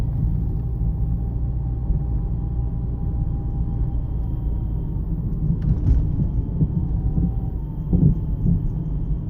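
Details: Dull thumps heard through the front floor over heavy road rumble on light to medium bumps while driving a 2009 Jeep Compass 4x4; the rest of the front suspension checked fine, and the cause was worn sway bar links.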